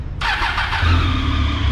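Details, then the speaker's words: High-displacement motorcycle with 53,000 km that died while riding and would not restart, battery fully charged: the starter cranks it heavily with an uneven, lumpy beat because compression is very low, so it does not catch. "olha o ruído descompassado é a bateria tem carga tá plena carga aí"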